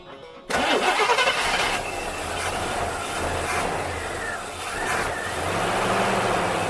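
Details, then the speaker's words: Rambler that likely sat in a garage over winter with little driving: a sudden crank catches after a squirt of starter fluid, then stumbles into an uneven, surging, rough run. Hard starting. "oh she sounds rough she probably needs to be having a goodly bet"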